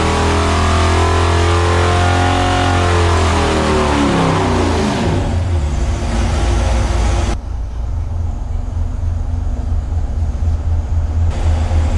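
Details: 1970 GTX 440 V8 on the dyno before rebuild, later full-throttle run, no rear seal oil leak: deep roar climbing hard then holding steady, no knock or rattle; 394 hp at 5,000 rpm, peak torque 493.4 at 3,300 rpm; healthy.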